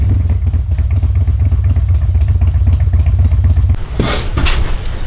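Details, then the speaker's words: Harley-Davidson Twin Cam Dyna Glide (FXD), 39,000 miles, cold start after a CV carburetor rebuild and intake manifold reseal: it fires right up on choke into an even, steady idle, with no fuel leak. "Yeah, so as you can see there, basically starts right up and more or less immediately idles."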